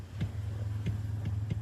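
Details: 2014 Chevrolet S10 LTZ steering column noise: sharp single clunks about every half second over a steady low hum, traced to a worn bushing in the steering column coupling.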